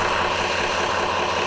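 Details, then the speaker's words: Homemade magnetic drum delay line memory prototype, drum spun up: loud constant whirring roar with gear whine, even and unchanging, incredibly loud; normal running. "the drum has now spun up, and it's incredibly loud, and it's incredibly scary too."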